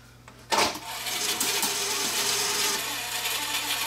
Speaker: Okay, it's having a bit of a trouble threading up. Looks like maybe the loading belt might be a little bit worn on here to start because I had to give it a a little bit of a help there to uh finish this loading cycle.